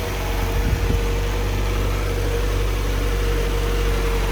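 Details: Land Rover Series 2a first start after engine rebuild, temperature coming up, no leaks seen: even, steady idle with constant low hum and faint fixed tone, no knocks or misses; smooth and healthy.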